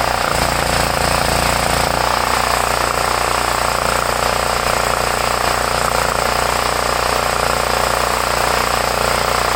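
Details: 8-year-old Homelite 5000 W generator, 389cc 13 hp (owner thinks Tecumseh), previously hard to start with a leaking carburetor, started with choke. Its single-cylinder engine holds a steady, even chattering beat with no surging or misses; running healthy, and no fuel leak found afterward.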